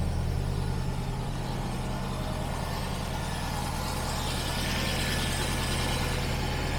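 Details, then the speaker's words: TVR Griffith 500 Rover V8 after coil wire fix: starts instantly into a deep, steady idle burble with an even, unbroken beat and no miss or knock, now running on all cylinders and building oil pressure. "that was really instantaneous ous and it really does feel like we have all cylinders now building oil pressure we have fuel"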